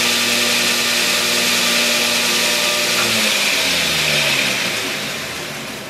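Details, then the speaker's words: Homemade 2x72 belt grinder with new aluminum wheels replacing roller-skate wheels and rubber legs: steady, even whir with stable tones, no knocking or wobble, then a smooth coast-down. No vibration, running properly. "it runs so much smoother than having the wheels on here from the roller skate so we went ahead to switch to all the aluminum wheels or whatever they are I'm not sure but we've got all new wheels on it and there's really no vibration in it at all"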